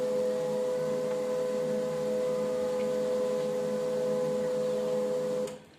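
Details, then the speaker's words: HP LaserJet M1005 printer at power-on, display shows initializing while scanner moves, then Ready: steady motor hum with a couple of clear tones around 500 Hz, even and unbroken, then stops; normal power-on initialization. "तो देखो दोस्तों, यहाँ पर initialising लिखा हुआ आ रहा है और इनिशियलाइजिंग लिखा हुआ आ रहा है तो इसका जो स्कैनर है वो मूविंग करके और उसके बाद इसमें रेडी आ गया।"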